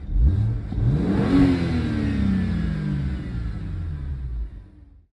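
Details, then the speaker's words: BMW 335i after a misfire caused by brand-new coil packs not being fully seated: with the coils pressed down, a clean rev rises and falls smoothly with no stumble, and the engine runs great. "just pressing the coil packs down did the work and now it's running great"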